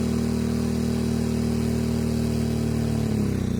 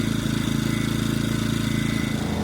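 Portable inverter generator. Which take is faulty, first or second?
first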